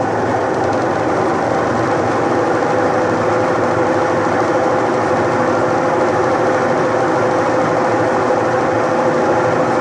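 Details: Electrolux washing machine, which had stopped spinning: constant mid-pitch motor hum with no knocking or stalling, drum drive turning steadily; runs normally again.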